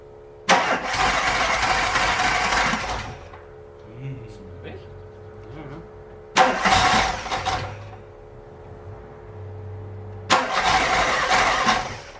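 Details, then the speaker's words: VW Golf Mk1 with a swapped 2.0L 8v on Dellorto DHLA carbs, first start after bending the fuel needle. Three rough cranking attempts with sharp pops never settle to idle; the owner suspects an ignition problem; backfiring on start. "so there is some life in it but it's clear that something is wrong the backfires are telling me that the ignition might have a problem so we are going over it before trying it again"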